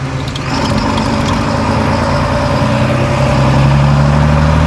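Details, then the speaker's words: John Deere 4755 side-exhaust tractor, driven on the road after a complete Powershift transmission rebuild, top speed 30 km/h: deep, steady diesel growl rising gently with speed, no knocks or gear whine; normal running. "She certainly growls. I don't know if it comes across very well on the video, but it's pretty pleasing."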